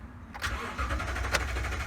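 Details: 2018 Toyota Tundra 5.7 V8 cranking at an even rate but never firing; the check engine light comes on and the tachometer does not move while cranking; crank-no-start from a failed fuel pump.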